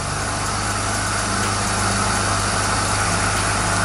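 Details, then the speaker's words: Home-use portable monoplace hyperbaric chamber designed for 1.5 ATA (50 kPa): steady, even compressor drone with constant pitch and no knocks or rattles while it holds chamber pressure and circulates air to remove exhaled carbon dioxide; normal compressor running. "so you should never shut off the compressor because if you shut off the compressor you will not be able to remove the carbon dioxide exhaled by the person who is inside the hyperbaric chamber"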